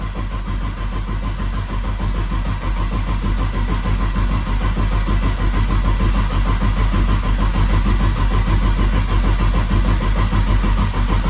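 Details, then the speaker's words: RB six-cylinder engine, rebuilt after being blown doing skids, cranked to build oil pressure before first start; steady even cranking, compression pulses even on all six with no misses or knocks. "Oh, it actually sounds like six cylinders."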